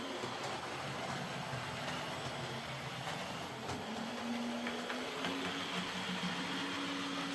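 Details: Old Hornby R751 Class 37 model locomotive after repair, with corroded wheels cleaned using a rotary brass brush: smooth, even motor whir with light rail clatter and a steady rising hum as it picks up speed; runs sweetly.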